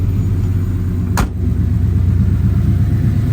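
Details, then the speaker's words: 1971 Ford F100 XLT Ranger Heavy Duty Special V8, cold, first fire-up after repair, with a 6R80 transmission and torque converter from a 2017 F150: smooth, even, quiet idle with no more top-end ticking; normal idle. "Just listening to the motor, there's no ticking. It's a lot quieter. This sounds really good."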